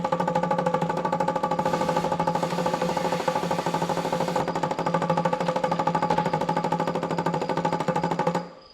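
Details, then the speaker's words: 1975 Chevrolet C20 squarebody sitting nine years: electric fuel pump clicks fast and steadily at about three per second with a buzzing tone, pumping air rather than fuel; the line or tank valve may be plugged or the wrong tank is being fed. "you know what's more annoying than a clicke clack pumping fuel want to hear the most annoying sound in the world a clickey clack pump and air"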